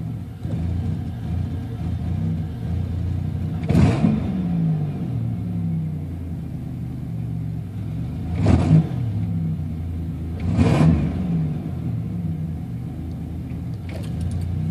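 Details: Buick Regal GSE with 10.5mm wires, OBX headers, NGK TR6 plugs, ZZP 1.0 PCM, 3.4 pulley: low, lumpy cold morning idle with three uneven rev blips; continuing misfire, cause unknown.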